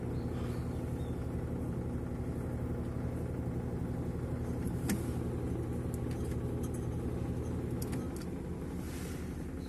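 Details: Samsung 18 lb washing machine during the wash cycle, before repair: heavy rhythmic rumble, about three beats a second, with a rough grinding edge; transmission clutch claw slips off the pinion instead of engaging, later fixed by calibrating the clutch.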